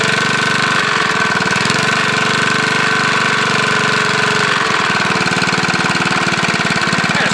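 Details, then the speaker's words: Briggs lawnmower engine, no blade, running with a JB Weld-epoxied connecting rod journal test repair: steady light knocking with each crank turn; start of a rod knock, some wear. "That sounds like a little rod knock there."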